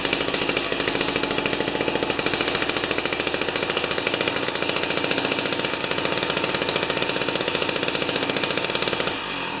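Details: Jiffy 30 3HP two-stroke ice auger with a J19LM plug instead of a J17LM, mixture turned out from lean: steady fast idle-speed buzz with crisp, even firing and no stumbling or surging; normal running.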